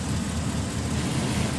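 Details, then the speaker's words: Chevrolet Express van, engine running, A/C on, blower switch on high: blower fan dead until the connector at the fan is twisted and its tang pulled up, then a steady low rush comes on; a loose, bad connection, not the resistor or switch. "I'm just twisting it. The fan comes on. Pull up on that tang. The fan comes on. So that is a bad connection."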